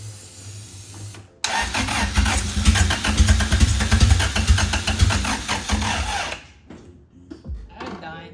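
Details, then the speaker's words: Nissan 370Z with weak battery, jump-started, being tried after fuel pump priming: labored slow cranking about two and a half turns a second for five seconds, stops without catching; owner thinks battery has no power left. Slow cranking. "Yeah, I think it just has no power anymore."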